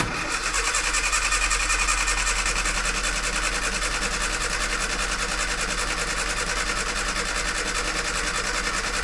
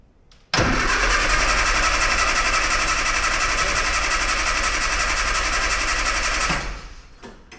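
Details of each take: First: 998cc Mini Clubman started for the first time in years after the fuel was cleaned out and the float chamber refilled: it comes alive on choke and ticks over with a smooth, even four-cylinder idle. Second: 998cc Mini Clubman, first start attempt after years stored, battery fitted, oil checked: steady starter cranking about four turns a second for six seconds that never catches; turns over but starved of fuel.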